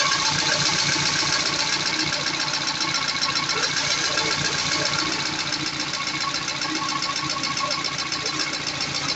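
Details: Peugeot 206 CC S16 after hydraulic lifter replacement and new timing belt, idling after first start: fast, even light ticking about four per second, easing slightly as it runs; new lifters filling with oil pressure.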